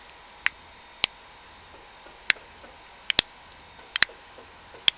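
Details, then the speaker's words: Longboard wheel (ABEC 11s, normally run with a .402" spacer) fitted with new Zealous bearings with built-in spacers: sharp dry clicks about one a second as the bearing is pushed; the combined inner shoulders are too wide, letting the wheel slop. "all I'm doing is I'm pushing the bearing and the problem is that the shoulder this inner shoulder here on the inside of the bearing it's just uh when it's combined with the other bearing is a little bit too wide overall for the wheels in question"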